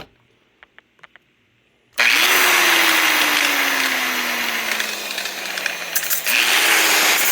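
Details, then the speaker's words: Used corded angle grinder in decent shape, free running; high smooth whine that sags gradually, cut and restarted, no rattle or crackle, a healthy example of how a used grinder should sound. "a little metal finishing there and that gives you some idea what these are supposed to sound like if you're buying used"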